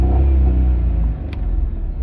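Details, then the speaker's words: Maruti Alto K10 petrol with DTC P0340 camshaft position sensor circuit fault, long cranking before starting, low pickup: engine revs with a steady drone then sags back, RPM capped near 4000 instead of reaching 6000; cam sensor circuit fault. "गाड़ी देखिए starting कितनी लंबी है अब गाड़ी हमारी star नहीं हो रही ये स्टार्ट हुई काफी डर में गाड़ी स्टार्ट हुई"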